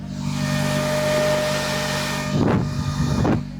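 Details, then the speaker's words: K24-swapped Porsche with a custom coolant system, two radiators in series, at 1,400 RPM idle: one electric fan kicked on at 194°F and brought coolant down to 191°F, a strong steady air rush with no rubbing; normal cooling fan operation. "So, one fan is on and we're at 1,400 RPM, absolutely fine. It got to 194 and then the uh fan kicked on and we're now down to 191."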